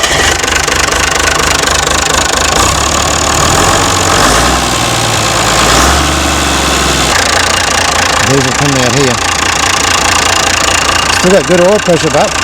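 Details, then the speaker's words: Mystery old six-cylinder Perkins turbo diesel from a farm, no history, electric fuel cutoff on injector pump working: steady idle with even clatter, no misses or heavy knocks; good oil pressure, sounds quite good. "But in the end, it started up and it did run. Does have good oil pressure and sounds quite good."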